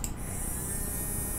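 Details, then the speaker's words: Small DC motor driven through an H-bridge by PWM from a Tasmota microcontroller, switched on at full speed. Steady low hum with a thin high whine and no knocks or roughness. Running normally. "Estão vendo aqui? Estão escutando provavelmente o barulhinho dele, né?"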